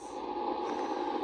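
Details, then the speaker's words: Ten Tec Paragon receiver after phase-locked loop board repairs: constant raspy buzz on one steady tone under hiss, no signal getting through; bad power line noise interference. "or we went by it, and I got really bad power line noise here."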